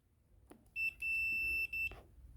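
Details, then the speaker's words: Kaabo Wolf Warrior GT electric scooter showing error 30 when anything is touched, multimeter continuity test on a connector pin: clear high beeps in short bursts as the probe touches the black, white and pink wires, an unwanted short between conductors. "there it is there, to the black, it beeps at me. But if I go to the white, again, it beeps at me. And if I go to the pink, it beeps as well."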